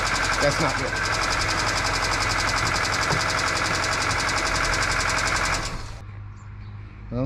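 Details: 2008 Kia Rio, sat three years, first run after starter replacement: rapid fairly even ticking around 220 a minute until shut off; abnormal noise from belt drive, possibly seized pulleys smoking, cause unconfirmed.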